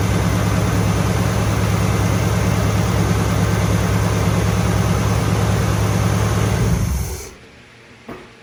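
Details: 1964 Chevelle Malibu, possibly a convertible, V8, just restarted after engine mount replacement, with the starter and fuel pump refitted: an even, steady idle burble with no knocks or misses, then a clean shutdown. A normal idle.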